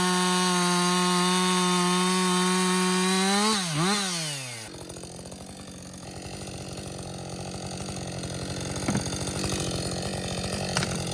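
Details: Husqvarna 562XP 60cc chainsaw, back from the shop after a software reflash for dying when hot, not starting and stumbling, bucking dead windfall about two-thirds into a tank: strong steady high revs, even loaded drone while cutting, no bogging or surging; running healthy.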